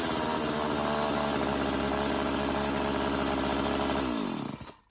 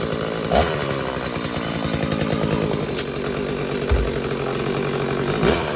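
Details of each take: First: McCulloch Silver Eagle SE2016s two-stroke chainsaw, found in trash after sitting for years, started with choke off and homemade oiled air filter: off throttle holds a fast steady buzz well above proper idle, then winds down and stops; high idle. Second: McCulloch Silver Eagle SE2016s two-stroke chainsaw, long-neglected trash find, after idle screw backed out to richen: held at high revs with strong steady buzz, no stumbling, while checking chain oiling (oil then drips out); running healthy.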